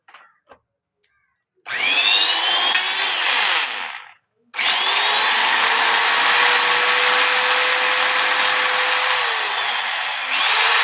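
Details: Angle grinder after bearing change: spins up to steady high whine, runs evenly without rattle or grinding, then winds down; sounds healthy.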